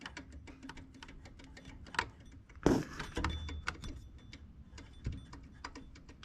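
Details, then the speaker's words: 9th-gen Honda Accord V6, serpentine belt removed: light quick ticking as a belt pulley is spun by hand, sign of a worn bearing; previously mistaken for the timing belt tensioner. "I don't know if y'all can if y'all can hear that but it's it's making a a little ticking noise so just imagine this noise happening you know as fast as your your belt is spinning that noise is going to be really really you know pretty loud"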